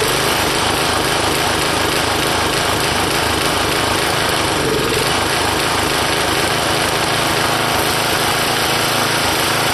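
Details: Old tiller retrofitted to run on propane, no air filter, fuel orifice drilled out large; constant buzzy small-engine drone at even speed with no misses or surging, running fine.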